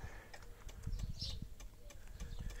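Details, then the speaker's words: 1990s Yamaha Virago 535 motorcycle, ignition on, engine not running, neutral light blinking. A relay chatters constantly with quiet, rapid, uneven ticking; the owner is unsure which relay. "tu vois ta le voyant neutre alcoolique clignote et un relais ici qui claque en permanence je sais pas si c'est leur les démarreurs"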